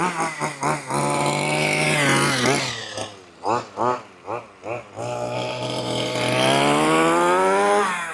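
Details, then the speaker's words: 1/5-scale petrol two-stroke RC buggy, four-wheel-drive version, warming up at quarter throttle after richening the lean low-end carburetor needle: crisp throttle blips and a clean, high, steady buzz; running smoothly. "Sounds lovely, doesn't it? Oh, that sounds gorgeous. I love these little buggies."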